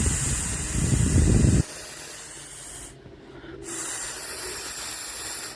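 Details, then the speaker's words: 2010 Vauxhall Corsa PCV valve, removed and blown through by mouth: strong rushing hiss for over a second as air passes straight through; valve leaks, causing air leak, whistling, rough idle and unstable fuel trims; replaced with original part. "ስናያለን ሁኔታ በሚገርም ሁኔታ የኛ በጣም ንፋስ ያወጣል ልዩት"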